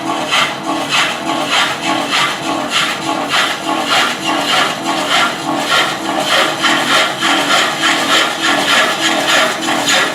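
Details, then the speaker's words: Woodturning a large platter during initial truing with a chisel: rasping cut pulses on each rotation as the tool catches the out-of-round blank's high spot. "we're going to keep on just grinding away here and you can hear as it comes around you can hear where that high spot is d"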